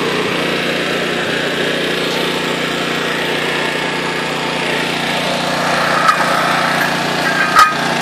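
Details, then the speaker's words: Honda EX800 generator (800 W max, 700 W continuous) after tune-up and governor adjustment toward 60 Hz; steady even engine note holding under load, tools clattering near the end; normal running under load. "hi boys she seems to be running good I mean it's a exe 800 so it's only rated for 800 watts but I think it's gonna work for what I want to do"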